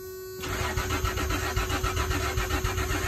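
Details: Truck first start attempt after replacing spark plugs and fuel filter: starter cranks in a quick steady rhythm, about 3.5 beats per second, but engine never catches; fuel not getting through.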